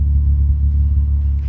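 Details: 2003 Mitsubishi Magna VRX (TL, 163 kW) with a new custom in-house sports exhaust replacing the rusted factory 2.5-inch system, heard from outside on its first hot run: deep, even low rumble from the tailpipes, no rasp or ticking; healthy exhaust.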